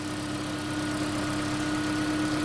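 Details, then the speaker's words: Freshly swapped 2016 4th-gen engine in a 2012 Prius V, just after first start, running in maintenance mode on jack stands before coolant air purge: a quiet, steady idle under a constant mid-pitched hum with no knock, tick or misfire; a normal idle. "I gotta tell you it really looks okay I feel pretty good about here's my new engine running in my gravy five"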